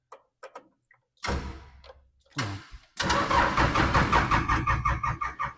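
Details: Old diesel skid steer that sat for many years: a few short cranking bursts, then uneven chugging at about three beats a second while air is bled from the fuel; hard starting.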